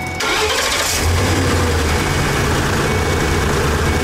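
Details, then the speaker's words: 2012 Ford E350 after repairing the wiring at the fuel pump control module for a no-fuel-pressure fault: a quick crank, an immediate catch, then a smooth, even idle. It starts normally. "cool all right just one more shot of it cranking starting"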